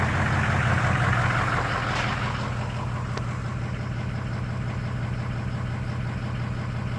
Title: Misfire rough idle?